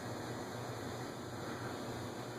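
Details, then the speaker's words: Antique 1945 Robbins & Myers 5-blade ceiling fan, after oiling with WD-40 and without changing the capacitor: it now starts on low with a soft, steady hum and even airy whoosh, no scraping or ticking. Runs smoothly on low. "it starts on low"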